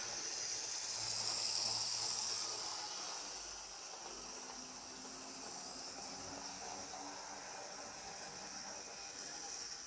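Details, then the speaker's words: Second-hand Lima Class 73 model locomotive (73108), after cleaning and dealing with loose traction tyres, before 30-minute running-in; faint steady high-pitched whir without catches or grinding; tyres holding well, motor healthy and free. "she does seem to be a fair bit better have a listen yes that is a mini Henry Hoover the wheels as well the tires seem to be going well"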